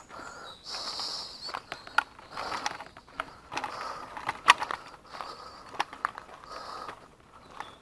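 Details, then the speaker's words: Mountain bike riding over rough rocky ground: intermittent high-pitched squeal in bursts as the rear disc brake is applied; rider says the brakes barely work. "Bon et puis là j'y vais, j'ai pas de frein donc... T'entends comment ça couine"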